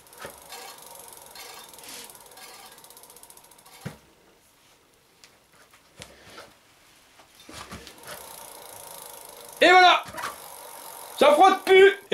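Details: Scooter disc brake after adjustment: quiet freehub ticking as the wheel coasts down, no scraping, rotor running clear; pads still need bedding in, cable may need retensioning within 100 km.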